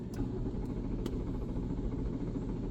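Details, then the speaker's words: 2012 BMW 335i F30 that failed to start after a car wash, with dash malfunction warnings: steady low cranking rumble, never fires; cranks but won't start, RPM gauge shows crank signal, cause not yet found. "so my my RPM gauge does move so there is some sort of crank signal there I can also check it on the scan when I crank the engine"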